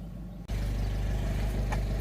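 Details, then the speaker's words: 2012 Fiat 500 with a used replacement engine that sat over a year, after engine swap, during a roughly 20-minute test drive: low, smooth, steady engine drone with no knocks or stumbles. Check engine light stayed off, no smoke; runs great. "check engine light stayed off the entire time car runs great"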